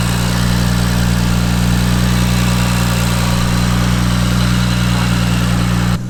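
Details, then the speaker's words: Supra, first start after three years of building: smooth, even, low idle drone with no misfires. There is a minor exhaust leak at the mid-pipe-to-catback joint because the oversized V-band clamp won't tighten, and a little smoke, probably from mystery oil or moisture. "guys, as you can see, sounds pretty good. Have a minor exhaust leak from my mid pipe to the catback because the V-band clamp is actually too big, so it's fully tightened right now, but it's still not tight per se."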